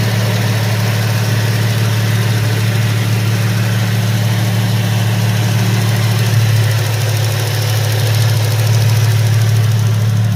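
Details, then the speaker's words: Cadillac STS/CTS/SRX V6 (LY7/Alloytec) started after maintenance: steady idle with light, even fast injector ticking and no rattle or grinding; normal healthy engine. "that ticking you hear it's the fuel injectors doing their job but there is no rattle no grinding no crazy noises it's just a running engine"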